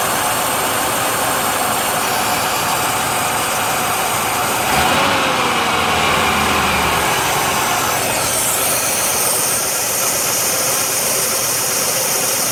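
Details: 1990 Oldsmobile Cutlass Supreme running with a steady loud hiss that stays put as the engine note shifts; vacuum leak.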